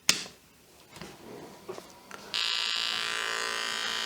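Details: Olivetti M300-30/P, substitute BA366 motherboard with 486 DX2 CPU, BIOS 1.03, powered on; power switch click then a single steady high beep about two seconds, normal power-on self-test.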